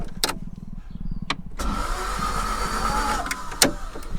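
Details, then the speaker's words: 1990s Toyota MR2 Mk1 revived after sitting, spark plugs in: a few clicks, then the starter spins the engine over steadily with an even churning rhythm, no fire yet; normal starter cranking. "She's turning over, boy. She's cranking."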